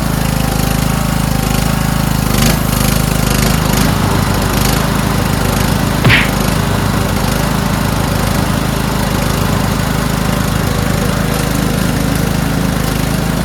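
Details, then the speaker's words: Toro Wheelhorse 1438HXL with repowered 17.5 hp engine, after mower deck belt and pulley replacement, deck engaged: steady single-cylinder chug at even governed speed, no knocks or belt squeal; everything works. Normal running. "Great, huh? Everything works."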